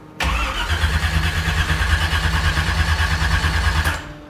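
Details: Mazda RX-7, about 375 hp, sitting in storage: steady rhythmic starter cranking for nearly four seconds with no catch; won't fire on fouled spark plugs.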